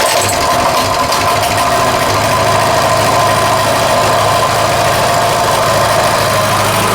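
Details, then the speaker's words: Coleman 196cc mini bike, a repaired customer return with a formerly locked-up motor, started fully choked and idling. A steady, even putter with a smooth low drone that holds its speed; it sounds good. "Sounds really good. Like I said, I am shocked that I got that thing running and paid only $200 for it."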